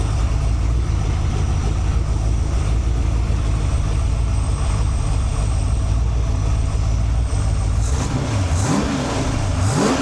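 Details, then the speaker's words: Freshly built 408 stroker (1979 Ford 351W block, 4" forged crank, AFR 185 heads, hydraulic roller cam, Quick Fuel 750 carb, primaries rejetted 72 to 75) on run stand: strong V8 rumble, crisp rev blips without stumble; normal revving. "All right, let me give it some wraps before I turn the fan on. You can hear it a little bit better."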